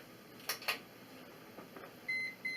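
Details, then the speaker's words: Portable battery inverter powering a 67 W incandescent lamp: two short, high-pitched electronic beeps warning that the bulb draws too much power, though the lamp still works. "See, it's working, but you can hear the inverter is beeping. Basically, it's drawing more juice of this incandescent bulb on this inverter."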